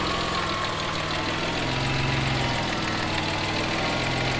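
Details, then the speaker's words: Mitsubishi 3000GT VR4 twin-turbo 6G72, running with the exhaust now tightened: steady idle with a light, quick ticking of lifter and injector chatter on top; sounds healthy. "sounds good all i hear is a little bit of lifter a little bit of injector"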